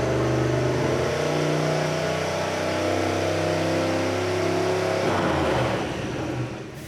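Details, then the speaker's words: Mazdarati 2.0 turbocharged on E85 during first chassis dyno pull: engine holds one loud, steady high note about five seconds with no shift break, then backs off; transmission won't upshift, cause unconfirmed. "but the more important thing is the fact that we have a trans that does not want to shift so that's an issue"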